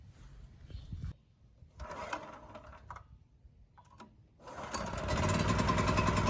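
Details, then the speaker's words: Champion generator model 40026 after carburetor cleaning and replacing the rusted fuel tank with a Honda-clone tank: fires after some quiet handling and settles into an even, steady run with no misses, supporting a load; normal running. "this thing still starts runs sounds good and supports a load so i think we're done here"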